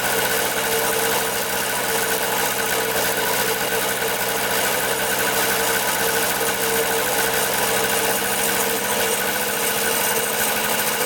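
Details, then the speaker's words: 1974 Honda Elsinore MR50 50cc two-stroke on a second spray test with freshly mixed gas. The idle stays steady and unchanged, ruling out an intake air leak; the owner suspects the carburetor. "all right so second test on and did the same thing didn't wrap up then rub down so there's no air leak just super strange"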